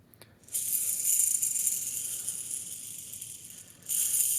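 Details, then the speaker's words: 2010 Ducati Streetfighter 1098, 15k miles: clutch-side main crank ball bearing turned by hand sounds gritty and chunky; chipped hardened ball surfaces marred other balls, shedding metal particulate; crank barely turned by hand; needs engine-out full rebuild. "chunky. The engine builder said that he could barely turn the crank by hand just because of the chunkiness in this one."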